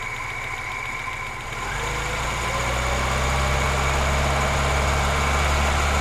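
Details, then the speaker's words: 1991 Moskvitch IZH 412, near operating temperature, microphone at the engine, good oil pressure: even steady idle rising smoothly to a firmer note on a light rev, no knocks or misses; healthy. "very nice and uh smooth running idle we're gonna give it a little bit of rpm"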